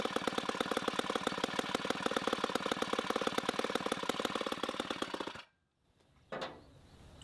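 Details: 1960s Homelite C-51/XL-12 vintage two-stroke chainsaw, revived, started with choke: a loud, fast buzzing beat, slightly blubbery and uneven, then cut off. It is running a little rich and may be low on fuel.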